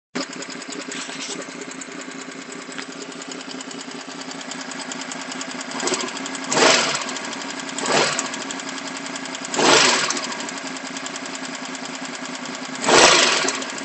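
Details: VFR750 FG motorcycle idling with a new fast, light, dry ticking, steady through brief rev blips; 12 of 16 valves were later found tighter than spec, and after resetting the clearances the tappety noise remained on the tightest ones.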